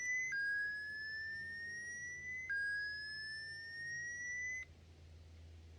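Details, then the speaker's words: Minelab SDC2300 metal detector switched on at recommended sensitivity setting 2. Two sets of clean rising electronic tones, each about two seconds, then quiet; normal startup sequence. "turn the machine on let's click that in she'll go through a startup procedure and"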